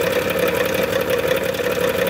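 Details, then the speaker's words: Dodge Grand Caravan 3.6 L V6, 133,000 miles, idling: rapid metallic rattle with tinny ringing near the transmission; flex plate seen wobbling, cracked all the way across near its mounting. "basically what I did was is I looked at that flexplate with that cover off and there's cracks that you can see um towards like the mounting where it mounts to the crate um so it's split all the way across"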